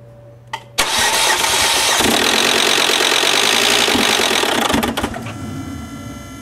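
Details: 2010 Volvo C70 that started briefly after sitting for days awaiting repair, then never again, with a rotating sound under the left side of the engine at key position II: starter cranks steadily at about four pulses a second for nearly four seconds; the engine never catches.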